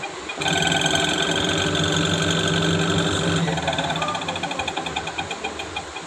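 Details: Panasonic Active Foam 8 kg washing machine, empty drum on spin: loud whining hum, then rapid rattling tick three or four times a second. Noisy spin; gearbox and motor being checked, cause suspected, not confirmed.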